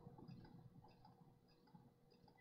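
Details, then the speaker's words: Vintage laptop booting Windows 98 from hard disk: quiet drive hum with faint steady tone and soft irregular clicks about every half second, later stopping; owner suspects failed drive doing the click of death. "I can hear it clicking. Guys, I think this hard drive is toast. Oh, it sounds so bad. I think that's it. I think this hard drive is now dead. Yep, it's doing the click of death."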